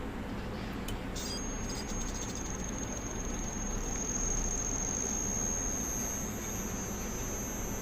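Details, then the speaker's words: Inverter AC (Blue Star/Reconnect/Whirlpool, F1 error) after PCB repair with the resistance replaced and all six outputs correct: low steady compressor hum holding under load without surging, jerking or cutting out; normal compressor operation. "இப்போ அந்த compressor noise பார்த்திங்கன்னா ஸ்மூத்தாக இருக்கணும். ஏன்னா அந்த resistance மாற்றியாச்சு."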